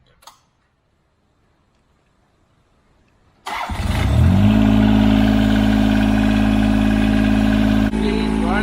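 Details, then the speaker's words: John Deere 430 that had a no-start, no-crank problem, after re-tightening the battery terminal (the ratchet sparked against the hold-down): a brief crank, then it fires within a second and holds a smooth, steady idle; starting fixed. "so what I said is she's running like a dream starting up so quick easy fix"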